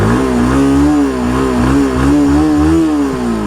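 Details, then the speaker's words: Bajaj Pulsar NS160 BS4 single-cylinder motorcycle, poorly maintained, self-starter failed: uneven revving blips with a light, fast tick-tick riding over the exhaust; engine ticking noise from the top end, cause unknown. "இந்த பைக்ல இருந்து வர இன்ஜின்ல இருந்து வர்றது பார்த்தீங்கன்னா noise வருதுங்க இப்ப உங்ககிட்ட காமிக்கிறேன் இன்ஜின்ல இருந்து பார்த்தீங்கன்னா உங்களுக்கு நல்லா டிக் டிக் டிக் டிக்"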